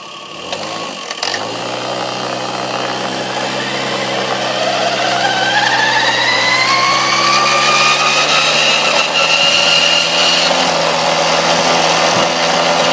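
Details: 1994 Tomos two-stroke revving up steadily with a rising whine and a raspy edge; weird abnormal engine noise, cause unclear.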